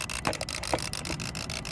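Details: Renault Modus 1.5 dCi, no start, no ECU communication: rapid dry clicking, about ten a second, with the engine off; the clicking starts whenever a relay is pressed. Relay chattering.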